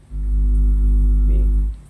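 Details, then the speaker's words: 400 W mono power amplifier, no signal connected: loud steady low hum swells as a hand nears the input/driver section and fades as it moves away; pickup on the exposed amplifier input. "Semakin mepet semakin dengung, Lur."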